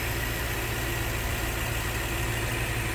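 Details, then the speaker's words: Lexus LX470 V8 cold start, secondary air injection already shut off, idling in reverse under load: smooth steady idle with deep even rumble and no ticking; exhaust manifolds sound sealed, not cracked or leaking. "absolutely zero tick going on at all on this uh if that's what you were looking for with the cold start"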